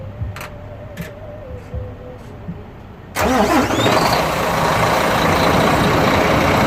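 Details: International diesel truck after compound turbo change and exhaust pipe fix, on a low battery: cranks, catches and settles into steady, even clatter at idle with no misses or knocks; running smooth with no leaks.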